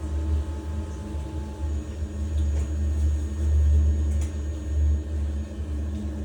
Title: Biasi boiler making noise